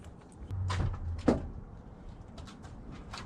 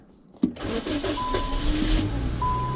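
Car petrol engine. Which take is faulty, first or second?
first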